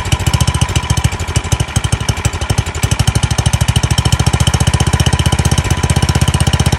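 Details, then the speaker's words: Free old Craftsman snowblower, small single-cylinder engine, started on fresh gas with choke on; no fuel from the primer bulb, so an air leak is suspected. Chugging unevenly, speed rising and falling; surging, suspected carburetor fuel restriction. "well it runs that's good um it's surging and it seems to like the choke so there's probably a fuel restriction in the carburetor"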